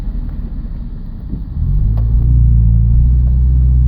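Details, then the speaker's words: 2000 Subaru Legacy driving at half throttle: engine rumble swells, then holds a flat, labored drone without climbing freely though tach rises normally, sometimes popping; low power, hesitation and bogging under acceleration. "I'm like halfway pressing the gas, and this is not very good. It looks like it's revving properly as far as the rev meter, but the sound wasn't very good just then."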